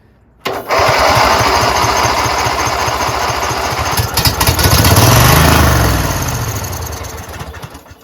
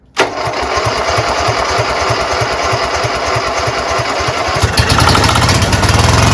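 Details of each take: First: Craftsman GT6000 garden tractor with fuel pump, after sitting: starter chugs steadily about three beats a second but never catches while choked; fuel in lines likely evaporated, starting fluid sprayed to help the pump prime. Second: Craftsman GT6000 garden tractor engine catches after a short crank, aided by spray, and settles into a steady, slightly lumpy choke idle that builds a little toward the end; normal start.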